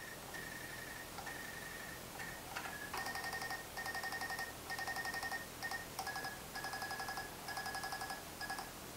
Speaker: now all I got to do is turn the key on and the fuel pump will pump by itself you can see how fast this sucker pumps ready bam